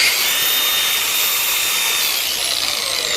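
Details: Makita DGA404 18V 4-inch brushless cordless grinder after rental and maintenance, reassembled with the grinding disc fitted and running off load. A smooth, even high-pitched whir at constant speed with no knocks, rattles or grinding. Healthy; no parts needed replacing.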